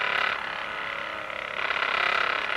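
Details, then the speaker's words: Hypervolt knockoff portable percussion massage gun: fast, hard buzzing hammer with a bright rattling edge; too powerful even on the lowest setting, excessive percussion intensity. "one thing about this is that although it's supposed to be good for your muscles it is just too powerful even on the worst level it's a very powerful massager"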